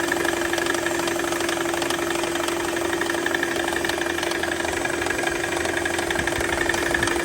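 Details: Mercedes C320 engine idling: steady rattling knock about four times a second over a constant hum, diagnosed as a failing AC compressor.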